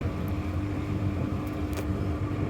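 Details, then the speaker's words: Washing machine going into spin: low steady roar and faint hum, airplane-like, from worn drum bearings, with the pump also loud. "так вот она выходит на отжим уже слышно что подшипники звучат"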